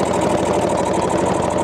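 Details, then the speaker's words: Old CAT D8 dozer unrun for decades, pony engine working wide open to crank the cold diesel with compression released, tried in high range: fast steady chugging but the engine turns too slowly to fire; needs more warmth and hot oil. "still a little cold definitely still a little cold that poor Pony's working that's wide open"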